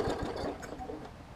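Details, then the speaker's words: Briggs & Stratton Classic push mower engine, 500 series, dated August 2007, with fresh gas added: short burst of uneven, sputtering thumps that fade out; it runs rough and struggles to stay running. Water in the fuel is suspected. "to me it sounds like we've got some sort of probably water in the fuel or something along those lines um just by what it's doing"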